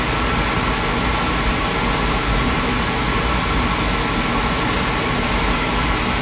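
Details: Beckett oil burner with intermittent delayed ignition and smoke, pump pressure 140, filter fine, old electrodes; steady even roar, no puffing or rumble; burner firing up nice, transformer sparks electrodes; pump may be starting to go.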